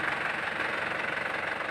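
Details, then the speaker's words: 2008 Isuzu Panther LS diesel: even, steady idle with no knocks, misses, rattles, hunting or vibration felt by hand; smooth normal idle. "ini sedikitpun Tidak ada getaran boleh Katakan Ya halus-halus betul suaranya halus betul getarannya"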